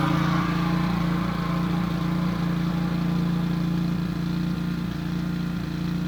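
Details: Wright Stander stand-up mower engine after carburetor replacement (it previously died unless choked): steady, even drone with a mild regular pulse, no misses or surging, running smoothly; tank fuel grommet still leaking.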